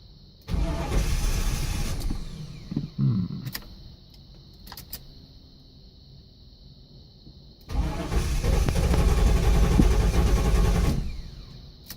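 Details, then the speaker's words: 1983 Buick LeSabre wagon with swapped LT1 V8, first start, no serpentine belt, low fuel: fires a second or two, dies, catches again about three seconds and shuts off; fuel cut by faulty VATS bypass module. "Aha. It ran, but it shut right off. Well, might just not have had enough fuel in it yet. Sounded okay for the couple seconds it was running."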